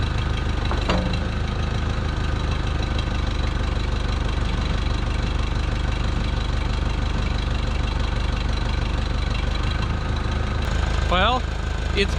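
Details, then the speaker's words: 1968 Case 580CK backhoe, 188D diesel, after seized-engine rebuild; low clatter with an uneven, lumpy beat around idle that never smooths out; misfiring and rough running, owner believes it badly needs injectors. "I think it needs injectors big time. Well, I know it needs injectors big time, but that's most of what it is."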